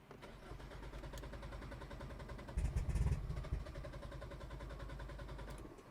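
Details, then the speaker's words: Hyundai Elantra N, deliberately run out of fuel before high-pressure fuel pump replacement: steady starter cranking with even compression pulses, about three per second, that never catches; crank-no-start from empty fuel line. "Okay guys, so we just ran out of gas. Let me double check. So there's no more gas in the line, or at least we can get."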